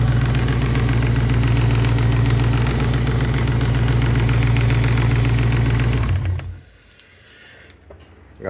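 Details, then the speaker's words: Santana with V8 engine, also a small radiator leak; fast, even ticking about three to four per second over steady V8 idle, traced to noisy belt tensioner. "nós estamos aqui funcionando o carro porque nós ouvimos um barulhinho no carro aqui e tava dando vazamentozinho no radiador nós estamos tentando resolver aí nós descobrimos tensionador dele aqui tá fazendo um barulhinho"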